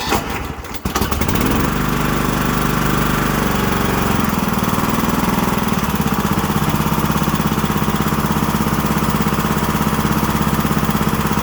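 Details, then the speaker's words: Kohler Courage single-cylinder twin-cam engine after head gasket, PTO seal and valve cover seal replacement: loud, steady clanking with heavy vibration; typical valve train clatter of the twin-cam design. "so super loud there i hear a lot of vibration and it almost sounds like the unit's going to completely fly apart so again that twin twin cam is very loud"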